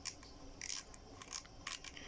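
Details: Daiwa Tournament 800 EX spinning reel, mid condition, line pulled off: crisp high clicks in short uneven bursts like galloping hooves; normal drag clicker.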